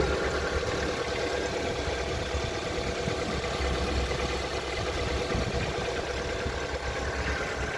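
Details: Lada Vesta: steady idle with a faint, fairly even knock riding over the low rumble; engine knocking, cause not yet identified.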